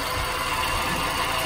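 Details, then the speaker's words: Nissan Grand Livina, engine idling: harsh steady grinding rasp heard from outside the engine, at the fan-belt pulleys; worn AC compressor pulley bearing, fixed by replacing the AC pulley set. "Suara seperti gesekan dari bearing yang rusak atau terkena cairan atau bagaimana. Saya mau dengar sendiri, itu kasar, suara sangat kasar, nggak normal."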